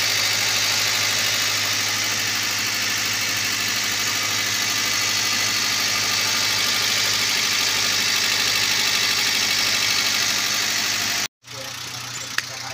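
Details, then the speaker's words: Toyota Avanza at idle after new ignition coil/spark plug fitted to cure misfire: steady, even, stable idle with constant hiss on top and no misfire stumble; normal idle. "Oke sahabat semua seperti ini ya jadi sekarang suaranya sudah bagus sudah anteng sudah stabil kami rasa"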